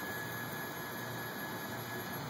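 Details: Sidereal Technology prototype direct drive motor with a 26-bit Renishaw encoder, slewing on a software goto with near-instant acceleration: steady high whine and even hiss, no grinding or clicking. Normal slew.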